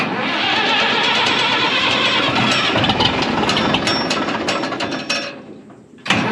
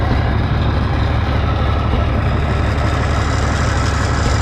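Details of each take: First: 1965 Minneapolis Moline G707 diesel tractor parked 13 years, fresh diesel with fuel conditioner, about half to full throttle: starter cranks at even rhythm, pauses, cranks again, never fires; no start, fuel system lost prime. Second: Low-hour 1965 Minneapolis Moline G707 diesel parked 13 years, just restarted with some air still in lines: steady quiet low rumble at idle, occasional miss, 15 psi oil pressure; essentially normal idle.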